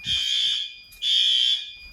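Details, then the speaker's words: May fire alarm test after activating a heat detector; outside horn strobe checked. Loud, shrill electronic horn in bursts of about a second with brief gaps, clear and strong; working properly. "It's not showing up well on camera, but that outside horn strobe is good."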